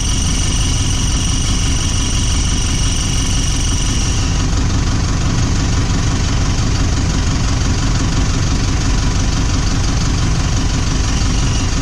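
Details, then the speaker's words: Toyota Prado 150 diesel at idle: thin high squeal over steady idle from a leaking exhaust pipe gasket; foot pressure on the exhaust stops it. "so there you go a bit of pressure on the exhaust and it seems to seem to clear it up"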